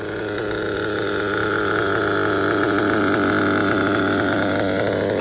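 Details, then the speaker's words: Modded LRP .32 AMR off-road nitro engine during break-in, after short throttle bursts: steady, even buzzing idle with constant pitch, no hunting or stumbling; idle is good and stable. "idle is good and stable"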